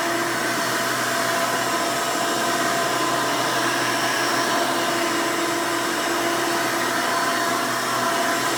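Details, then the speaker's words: 1992 Hoover Elite II Total System Performance 650 upright vacuum, model U4689-910, bought used, motor untouched: loud steady high-pitched air rush with even hum, no surging, rattling or grinding. Runs very smooth and sounds good. "runs very nice and smooth definitely sounds good i didn't have to do anything to the motor when i bought it so that's one nice plus"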